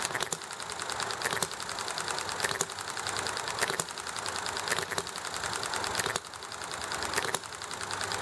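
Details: Enjomor model engine popping along: single sharp firing pops roughly every second and a bit, coasting quietly between, over background clatter, highway noise and neighbor chatter; healthy, normal hit-and-miss running.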